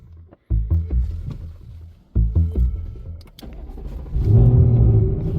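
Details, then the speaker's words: 2024 Mustang S650 Gen 4 Coyote electronic oil-priming procedure: accelerator floored, brake pressed, start button pushed. The starter turns the engine in short, even bursts, deliberately never firing, then cuts itself off. "The car will turn over, but it will not fire, and it'll self-cut itself"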